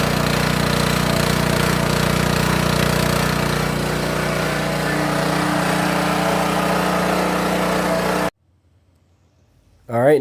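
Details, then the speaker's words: King Canada 3000 W (2,300 W running) generator after repair and new air filter setup, run before load test: even, constant-pitch drone for eight seconds with no surging or missing, then shuts off; running smoothly. "I think that ran pretty smooth."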